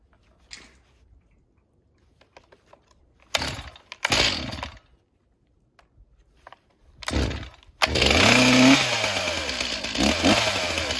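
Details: Stihl MS361 chainsaw after Meteor piston and Caber rings install, cold weather, choke on, no bar or chain: pull-start attempts, then it catches and runs with a steady high buzz; firing cleanly.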